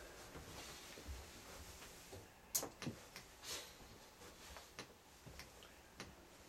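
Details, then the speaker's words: EGR valve on a bench exerciser built from an old computer power supply and multivibrator timer, pulsing about once a second: faint light ticks, not sluggish or hesitating, normal operation. "as you can probably hear the valve is pulsing and perhaps as you can see it's operating about once every second"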